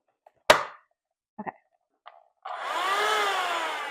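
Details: Hand vacuum after pebble sucked into motor removed and debris cleared: a few handling clicks, then motor spins up into a smooth rising whir and holds steady; running normally after repair.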